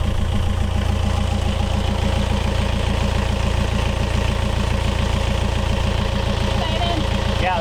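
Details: Yanmar 4JH4E marine diesel in a sailboat, first run after 10+ years sitting since 2006: steady, even idle with regular low beat, no knocks, misses or rattles; oil pressure good, running sound.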